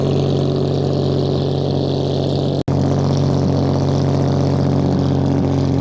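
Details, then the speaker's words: Restored 1935 Stancraft race boat inboard, the oldest known surviving Stancraft, with race intake manifolds that hold a high idle of about 2,000 rpm; fast, even burble at steady high idle with no misses, knocks or rattles. Normal high idle. "That one being a race boat, we're gonna have to actually paddle it out a little bit because it sits at about 2,000 RPM because of those intake manifolds."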